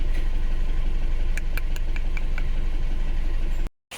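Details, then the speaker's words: Isuzu Alterra diesel, misfiring after a valve cover gasket job: heavy, lumpy idle with an uneven stumbling beat; injector 2 and 3 shared positive feed shorted at injector 3 (injector group B supply voltage low), so both injectors are dead. "okay mga boss bale nakuha ko na yung problema niya dahil dito nagkaroon siya ng shorted dito sa injector number 3 So nag-short kasi yung kanyang positive"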